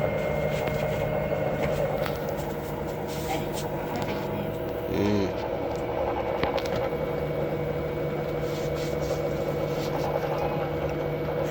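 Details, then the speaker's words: Samsung 6 kg washing machine after bearing repair and starter replacement, spinning: a steady, even high-speed hum with no grinding, rumble or knocking; the drum runs smoothly. "so it could not wash it could not spin right now it's working it needs a little of Maintenance"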